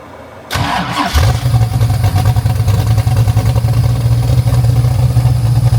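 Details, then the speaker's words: 1974 DeTomaso Pantera GTS with 427ci Ford Racing small-block V8 and MSD fuel injection; cranks, fires and settles into a deep lumpy idle with no belt squeal; normal start. "All right, so we're inside the Pantera now. You can hear there's no belt squeal."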